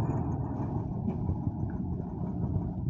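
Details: Mercedes 917 truck with OM366 diesel just after an engine overhaul (new piston rings and bearings), idling during break-in: steady, even low rumble with no knocks or misses.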